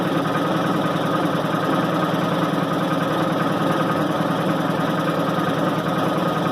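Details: 1990 Maytag LA211 washer on spin: loud, even droning roar with a rough groan and whine. Belts, brake and the brake bearing have already been replaced; source still unidentified.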